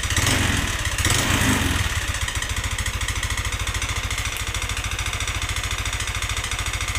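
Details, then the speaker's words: Yamaha NMAX scooter, also smoking heavily: rough, hard idle with a coarse clattering knock on every firing pulse, about three a second; mechanic suspects the piston. "sedikit kita akan mengulas perkiraan ini di bagian piston suaranya Kasar banget"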